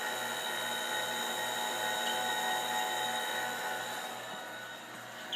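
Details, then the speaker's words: TRS-80 Model II floppy disk drive after cleaning, at power-on with a boot error: a steady high whir with a faint even pulse three to four times a second, no grinding. The motor runs constantly off AC power and spins smoothly. "Listen to that motor run. Yeah, that motor turns all the time. Because it's running off AC power."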